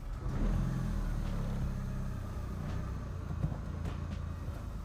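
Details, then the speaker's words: Mitsubishi Lancer Evo 7 rolling forward and back after a split belt was cut off: low, smooth rumble with no clunks, whines or grinding; drivetrain sounds normal after the scary noise. "All right. So, she sounds good."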